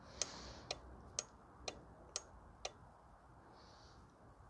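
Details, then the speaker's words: 2014 VW Tiguan 2.0 TSI with a parasitic battery drain: a four-pin relay on a tester under a 7 A load gives sharp, slightly uneven clicks about once a second. Worn or corroded contacts can stick the relay on and drain the battery. "sometimes there could be corrosion in the contacts that could keep the relays stuck open or in the closed position so it could remain on the entire time and cause a a current drain on the elect"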